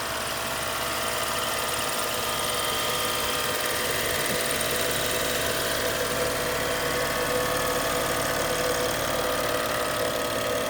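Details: 2013 BMW X5, buzzing hum under the hood while A/C or heat blower runs; steady even-pitched buzz over the idling engine.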